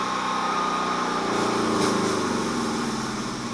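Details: Generator engine, test start after reassembly (tank removed and refitted): catches and buzzes but speed wavers then sags toward the end; nearly runs but won't settle to a steady speed.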